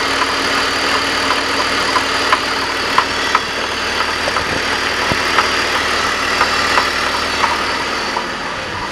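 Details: BMW 330i, still after replacing the primary chain tensioner: an uneven clanking gallop of about two to three knocks a second, only at idle, gone when accelerating; it drives fine, cause unknown.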